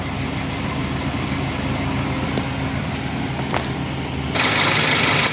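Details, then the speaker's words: Used car engine at idle, exhaust note: steady, even low hum with no "blebek" putter or misses, which would signal a problem; normal idle. "kalau mesin normal seperti ini stabil Ya seperti mesin ya Bunyi mesin ya untuk idelnya tidak ada"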